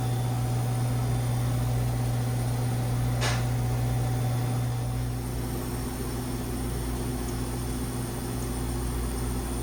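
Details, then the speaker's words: Manitowoc ice machine with a complaint of ice sticking on the grid and not harvesting: steady compressor hum as it enters harvest mode, and the hot gas valve is heard feeding. "Alright, we just went into harvest mode. I can hear the hot gas valve feeding."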